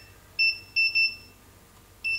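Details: Godox SK400 II studio flash after repair of total failure: four short, clean high-pitched beeps over a quiet background, steady in tone; normal ready signal.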